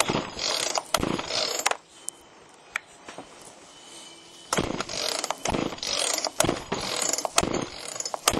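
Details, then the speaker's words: Chainsaw after Texas ice storm, choke on: repeated pull-cord bursts with quick ratcheting whir, no firing or catch though it felt like trying; spark later confirmed, compression next. Cranks but won't start. "so there's the choke it's on feels like it was trying is it on"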